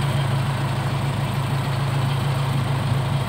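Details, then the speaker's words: Car idling with AC switched on: idle stable before, but with AC the idle-up vacuum doesn't pull so speed isn't raised; low, uneven idle with shaky throb and engine vibration under compressor load; idle-up needs adjustment. "saat ini kondisi sebelum masih nyala itu seperti ini kondisinya stabil bagus tapi ketika AC nyalain cenderung di depan namanya akan bergetar"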